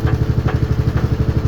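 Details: LG washing machine on spin: fast deep throbbing with a heavy thump about twice a second as the drum slams around, machine shaking and walking; worn-out shock absorbers.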